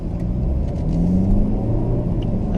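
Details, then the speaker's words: 2013 BMW F30 320i, 2.0L N20 turbo petrol, after turbo replacement: steady low engine rumble while driving with virtually no noise and no turbo whine or whistle, unlike the whine before. "look how beautiful this is guys makes virtually no noise"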